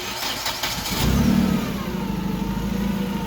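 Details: Clark forklift with a Hyundai engine and a rough-running, hard-starting history: after a new sensor and cleared code, it cranks briefly, catches at once and settles to an even, steady idle with no stumble or misfire.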